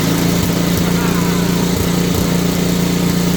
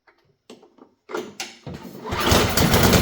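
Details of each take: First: Simplicity two-stage snowblower single-cylinder engine after cleaning fuel line and adding fresh gas; steady constant-speed putter with no misses or knocks, healthy even idle. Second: Simplicity two-stage snowblower single-cylinder engine, low compression reading of 64, fuel dribbled in as primer; a few weak puffs then catches and roars up on primer fuel, feed likely starved, carburetor to be serviced next.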